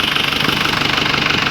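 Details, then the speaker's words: Isuzu Crosswind diesel idling right after an oil and oil filter change, no leaks found: fast, even clatter at steady idle, no loud knocks or misses; smoother and quieter than before with the new oil. "Iba na po yung tunog niya, mas smooth na siya ang tunog niya, tahimik na. Hindi na ganong kaingay."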